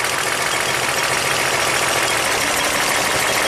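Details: 1998 Toyota Camry V6 (1MZ-FE) with a blinking check-engine light and misfire; cylinder 4 shows no contribution. Ragged, stumbling idle made rougher with a second injector unplugged during a cylinder balance test.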